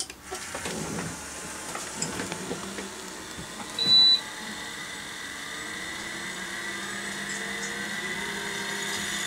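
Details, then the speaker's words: 20-year-old Seagate PA4E1H 5.25" full-height 1.3GB SCSI hard drive (from a Sun Microsystems external enclosure) powering up via 50-to-68-pin converter: rising spindle whine to steady high hum with head seeks and clicks, loud, slow but normal spin-up. "I'm going to power this up now and you can hear the noises that this drive makes because it's quite loud compared to modern drives and it takes quite a lot of time to boot up"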